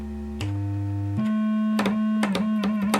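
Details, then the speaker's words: Rare Minitmoog synthesizer as received, before repair. A pure single tone jumps between pitches as the octave switch moves, with no oscillator sound. Owner suspects the filter is oscillating too hard; unconfirmed. No oscillator output, filter tone only. "So I think we got a problem with the filter. I think the filter is just too hard an oscillation."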